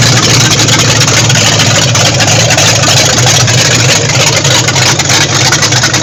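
A big V8 runs at a steady, loud idle with an even deep rumble and no knocks or ticks, sounding healthy.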